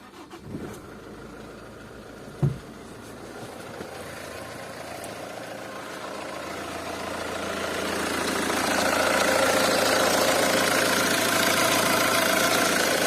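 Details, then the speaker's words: 2001 Nissan AD, YD22D 2.2 diesel, manual, 260,000 km: sharp regular metallic tapping about four per second after a summer start, fading after 5–10 minutes' running but returning under load; suspected injectors, not confirmed. "nissan diesel войди 22 d металлический стук сок от пост запуска летом [музыка]"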